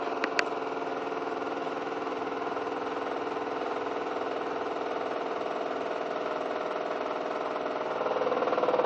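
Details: Newly bought Miele washing machine (post-2014 body design) on a non-concrete floor, 1.6 kg dry laundry, noise began after 2–3 weeks of use: loud steady roar with fast pulsing about four beats a second, swelling near the end, shaking hard on spin; weak plastic connectors suspected.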